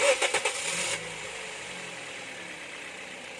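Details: 2014 Toyota Vios with a first-attempt hard-starting problem, after repair: a few quick cranking beats, then it catches at once and settles into a soft, even idle with no stumble.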